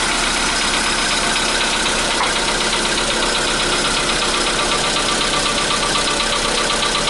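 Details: 2015 Volkswagen Polo Sedan (CFNA engine), cold start at 0 °C air temperature: idle with a fast, fairly even ticking knock about four per second over a bright, busy engine note; cause unclear.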